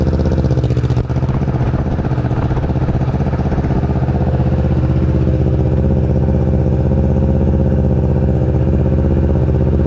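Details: 2020 Kawasaki Ninja 650 ABS with newly installed Akrapovic exhaust, first start: starts cleanly and settles into a steady, even idle with deep exhaust burble, no knocks or rattles; healthy.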